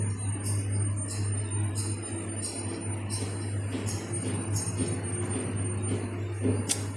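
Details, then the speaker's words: PLC-controlled flying shear model servo homing with audible coil whine: steady hum under sharp ticks about every two-thirds of a second. The home sensor input is sometimes missed, so the servo overruns and jitters while seeking home. "There's no pop, so yeah, it keeps running until it actually got it. So I need to find out why it is doing that and why it keeps having this jittering motion."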